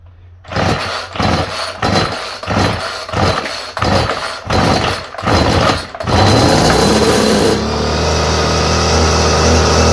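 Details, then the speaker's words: Homelite string trimmer with a new aftermarket Chinese carburetor, primed and choked, pull-started on the floor. About nine rough pull-start bursts, each dying out, then it catches and runs briefly with a high buzz; it stalls just past one mixture setting. "Got like a one spot and you go just a touch farther and it stops. And there it pops."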